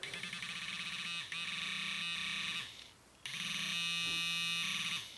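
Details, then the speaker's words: Garrett Pro-Pointer AT pinpointer in vibrate mode, 1st setting: loud steady buzzing in long bursts with short gaps, clean high-pitched drone from vibrate motor working normally. "And you can hear it vibrate there. That's on the 1st setting."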